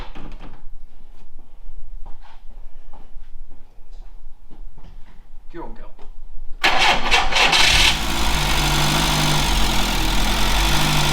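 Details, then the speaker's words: VW Scirocco Mk2 Tropic, stored for a while, running on fuel fed directly by syringe because the fuel pump is suspected dead: cranks briefly, then a steady, even idle with a low regular beat; the car is probably all right. "it seems to run so that means the car's probably all right"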